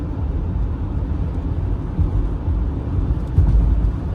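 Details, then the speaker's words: 2014 Acura RDX, 154,000 km, road test at 60–80 km/h after replacing the centre driveshaft for a noisy hanger bearing: steady road rumble and mild winter-tire hum, no hanger bearing noise; fixed. "so far so good I don't hear anything but let's bring it up to speed about 60 to 80 just to confirm"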